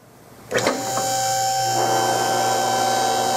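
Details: Rotary two-post lift raising a car a few inches off the ground to test balance: a click, then the motor spins up to a steady even hum with a constant whine; normal lift pump operation.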